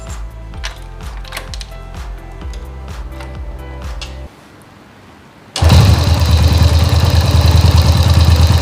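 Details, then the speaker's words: Engine after a rebuild, whose oil pump was not lifting oil; the cause was a cover found on the clutch side, and oil passages were checked clear. Started to test oil flow: quick cranking, then a loud, steady, even run with no knocks. "Oke, ini langsung kita hidupkan dan kita tes apakah oli ini mau naik"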